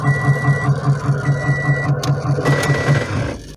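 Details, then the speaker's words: 2006 Toyota Corolla, quiet idling in park, then heavy rhythmic thumping grind about two and a half beats a second when shifted into reverse; suspected transmission or CV axle, found to be a binding CV joint. "going to put it in reverse horrible noise right there"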